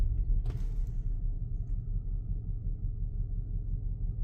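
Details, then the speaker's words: 2013 Audi Q7 3.0T supercharged petrol V6, driven on a test drive after supercharger removal and refit: deep, uneven, shaking rumble from an active cylinder 3 misfire; the engine was also mixing oil and coolant. "we're shaking misfiring uhoh what just happened"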